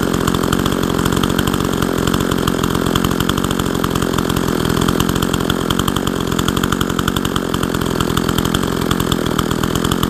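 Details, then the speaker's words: Husqvarna 162 SE chainsaw revived after sitting for years, muffler tampered with: steady crisp two-stroke burble holding an even idle without dying or surging; normal idle, runs nicely. "This is a pretty decent running saw. It runs really nicely."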